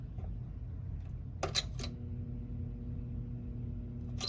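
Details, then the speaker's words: Thrift-store Dayton box fan switched on at high speed draws power but only gives a faint steady hum with no blade whoosh. The shaft is very stiff when turned by screwdriver, so the stalled motor likely has seized bearings. "There is a little bit of a hum there. Okay. Well, I guess that means that the bearings are probably seized up."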